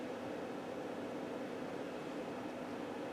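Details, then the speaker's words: Optoma UHD60 4K DLP projector with a new lamp assembly, powering up: only steady fan rush, no color wheel whir, then it shuts off to standby. Color wheel not spinning; the wheel's index mark had flaked off. "still no color wheel noise that I can hear there we go and it just shut off"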